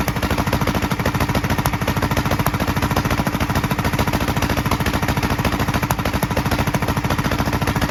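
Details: 1943 Gravely Model L single-cylinder on rebuilt magneto and borrowed 1955 L carburetor with its settings; fast uneven thumping, sharp pops from carburetor and exhaust; valve lapping and lash check planned. Carburetor and exhaust popping.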